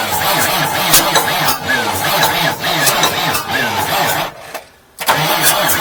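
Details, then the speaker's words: 1989 Marmon truck: labored, slow cranking rhythm that sags and stops without firing. The starter is overheating and the owner says it is too weak and may need a bigger one. Weak starter, slow cranking. "oh man starters cooking yeah these starters just ain't got what it takes"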